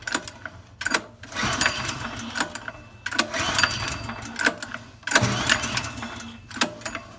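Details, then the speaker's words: Old TQ3600 generator with a TQ 7 hp engine, not cranked in at least 5 years, pulled with the choke on. Rattling recoil cranking bursts that never catch: cranks but won't start. Owner suspects a dirty carburetor. "So nothing yet. If we do get a little bit of a little turnover, what that's gonna tell us is just that the carburetor is probably dirty."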